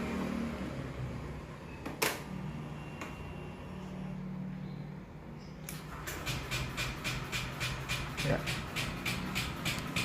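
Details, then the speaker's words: Motorcycle with a weak battery needing reconditioning: starter gives only a feeble ticking about three times a second and never turns the engine over; battery too weak to crank. "Jadi akinya itu udah nggak kuat ngangkat. Oke, seperti ini."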